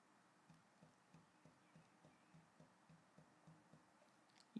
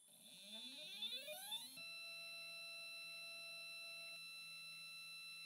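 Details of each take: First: NEQ-6 Pro mount after belt modification: soft, regular low clunks about three times a second as the RA axis is rocked back and forth, from remaining worm gear backlash, adjustable via the worm screws. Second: NEQ-6 Pro astrophotography mount after a belt modification, microphone on the side of the mount, slewing: stepper tones sweep up, hold a soft, steady whine and sweep down, smooth and quiet with no grinding.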